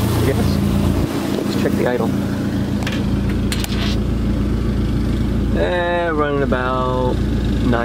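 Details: Dodge SRT4 at idle after replacing the intake manifold gasket that caused a vacuum leak and misfires: steady, even low idle around 950 rpm with no misses. Sounds healthy, though music covers the later part.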